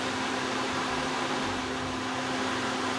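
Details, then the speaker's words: Suburban NT-20SE propane RV furnace in a tiny house, running on a solid-state 12 V DC power supply with a blue flame, heating up. Smooth, steady hum with an even rush of airflow and no rattles. Normal running. "Anyway, seems totally fine. It's humming away smoothly, and turning the light on and off, doesn't have any effect whatsoever."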